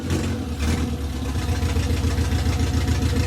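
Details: Classic Mini first engine start in two years after restoration and fresh clutch: low, steady engine rumble with a slightly uneven beat as it settles on choke, running on its own after the first start; normal running on choke.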